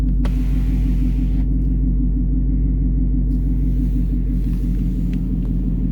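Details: 2019 Ford Mustang GT V8 at a deep, steady idle with a smooth exhaust rumble and no front-end chirp or squeak this time; the intermittent noise is absent; background ticking is outside construction; normal idle.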